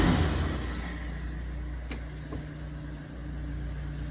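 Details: Cat 930G loader diesel after reconnecting missed engine ground wires (both ECMs restored) and freeing a hung throttle pedal: low, even drone holding steady with no knocks, misses or hunting; normal idle.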